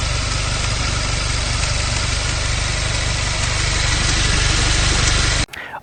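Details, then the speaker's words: 2015-on VW MK7 GTI engine running with fast, light ticking over it, roughly four per second. It started after flooring it and gets louder above 2,000–3,000 rpm. Possibly valvetrain, but the source is unconfirmed. "what can this sound on my mark 7 GTI be gets louder after 2000 to 3000 rpm I floored it and a little bit after it started making this sound"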